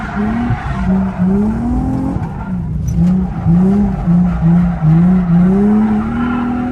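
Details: Turbo drift car on a night drift run after a battery reset, running well: strong steady exhaust note rising and falling with throttle through slides, tyres squealing; engine pulls cleanly without stumble; normal running.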